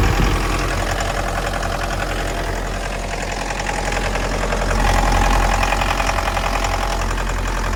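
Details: 2011 Mitsubishi L200, 2.5 diesel, automatic, odometer 79,000 km suspected rolled back; steady knock about three or four per second over the idle, source not pinned down.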